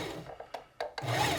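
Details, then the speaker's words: Singer Heavy Duty 4411 sewing machine after reassembling the foot pedal: light handling clicks, then motor jumps straight to full speed with no gradual build-up; no speed control. Suspected failed DB3 DIAC in the pedal, not confirmed. "nope that's awfully touchy no control so it was over"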